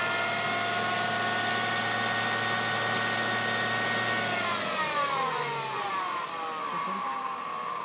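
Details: Mercedes W210 automatic transmission: steady high whine rising with engine speed under acceleration, then sweeping down as revs drop; gearbox whine, cause not pinned down.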